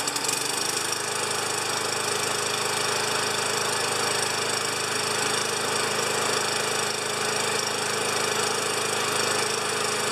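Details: 29-year-old Rally electric-start mower, little gas added to tank, pumped a few times: steady, even single-cylinder drone with rattly top end, no misses or surging; runs normally though not a quiet mower.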